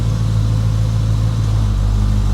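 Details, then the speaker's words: 1986 Chevrolet Monte Carlo SS, after AC repair. Steady low idle rumble drops to a slightly lower, heavier note as the compressor kicks in; normal AC load at idle, AC working. "I heard the RPM drop. I think we got a functioning AC."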